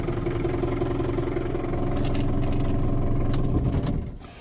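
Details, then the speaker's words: Long-idle vintage vehicle from an old mechanic's workshop, off the road for an unknown time, fired up: a smooth, even beat with no knocks or misses, then a clean wind-down at shutoff. Runs sweet and healthy. "Sweet as a nut."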